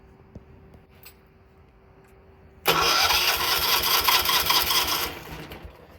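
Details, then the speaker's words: John Deere 216 lawn tractor engine on a small hooked-up battery catches quickly from silence into a busy, fast run, still clearing water and debris from the fuel system with fresh gas. "It take a little while for her to run that out with the fresh gas. She starts got a little battery hooked up."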